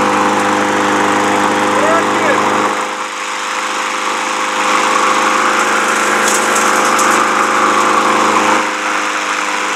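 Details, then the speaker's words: Lawn mower that wouldn't start, now running after a flathead-screwdriver adjustment (engine won't fire without oxygen) and a five-time prime, clutch held: a steady even drone with no misses or surging. Healthy. "Hold your clutch down. Something sounds good."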